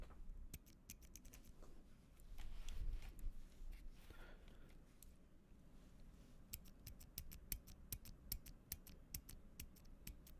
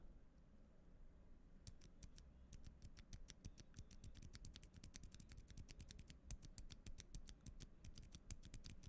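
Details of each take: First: LK67 keyboard, stock Gateron Silent Black switch pressed close-up with gain turned up before lubing: dry scratchy rasp, faint metallic leaf-spring ping and some spring noise; lubing removed these. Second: Gateron Silent Black switch from an LK67 keyboard after lubing: rapid, short, clean clicks, with the stock switch's scratchiness, leaf-spring ping and spring noise gone.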